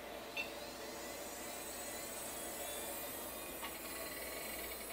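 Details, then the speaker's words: Barn-find AST Adventure! 200 (AMD K5) PC, first power-on: a steady fan rush with soft clicks and a loud hard-drive whir spinning up; it boots normally, though floppy fail shows because the floppy drive was unplugged. "came to life that's pretty cool that was more than I was expecting that hard drive is quite loud"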